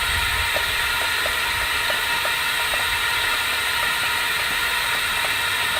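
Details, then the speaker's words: LSR UV spot repair packer in 6-inch pipe held at about 8 psi while liner presses against host pipe, before UV cure; steady even air hiss with faint ticks about twice a second: packer holding pressure normally. "take the pressure up to about and the six inch to about 8 psi again we should take about a minute maybe seconds of that"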